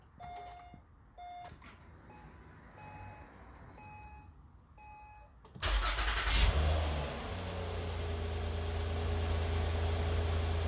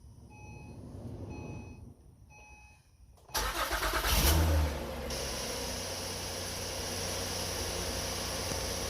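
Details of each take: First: 4th-gen (2009–2014) Acura TL with 172,000 miles, cold start after servicing the sticking starter: dash chimes, then a brief crank that catches cleanly to a steady idle. The previous starter screech/grind is gone, a normal start. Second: 2009-2014 Acura TL: chimes, cranks and fires with a brief harsh screech as it catches, starter staying engaged a split second after running; sticking Bendix, to be lubricated.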